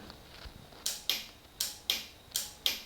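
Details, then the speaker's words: Yamaha YFM225 ATV rebuild, first start attempt after rewiring, battery and cleaning a flickering connector with WD-40: crisp dry paired clicks, about six in three seconds, no cranking yet; starter solenoid engaging normally. "starter solenoid is clicking which then once energized on this side that will go straight to the starter motor and she will start"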